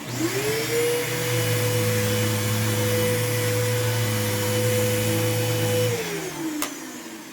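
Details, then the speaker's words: Old upright vacuum with a jammed-sounding brush and burning smell, probably on low: strained motor roar with a steady flat high whistle, then winding down; airflow choked by a clogged passage. "let's see is that clogged of course some people some people are going to come oh that is clogged look at that ew yuck"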